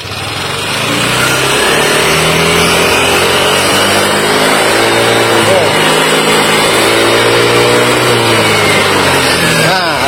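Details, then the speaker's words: Yamaha Aerox scooter (owner also names NMAX) with new cylinder block set: light, uneven rattling tick at lower revs over the revving engine, gone once the VVA engages and smooth at high rpm. "Nah jadi suaranya tuh kayak gini kita Hidupin dulu motornya Nah suaranya kayak gini tapi ini pas vv-nya aktif tuh dia hilang"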